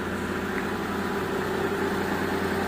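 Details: Mitsubishi Galant V6 with misfire codes 21, 53, 41, steady even idle after the wiring continuity fault was fixed, original computer box retained. Normal idle.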